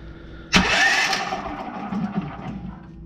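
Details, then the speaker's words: Small engine that was locked up and then freed. The electric starter spins quick and light with no compression chuffs; it sounds and feels like it has no compression, so something may have broken inside. Starting fluid is to be tried next. "okay ready here we go now that sounds like no compression I make sure the spark plugs on and try it again sound like no compression feels like no compression so maybe something did break in there"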